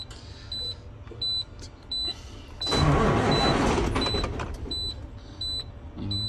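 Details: 2018 Cummins X15 diesel truck: dash chime beeping steadily, then a short burst of heavy cranking that never catches; fuel pressure checked, no-start traced to jammed VGT turbo vanes after earlier ignored VGT codes.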